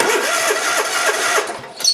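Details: Hustler Raptor zero-turn mower, Kohler engine, starter jumped directly after the customer's new starter solenoid and the battery tested bad. It cranks with brisk, even chugging at about six beats a second but won't fire; fuel supply is unknown.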